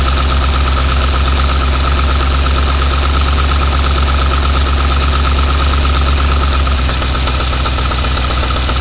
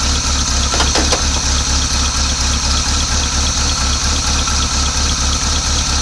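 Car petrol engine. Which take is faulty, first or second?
first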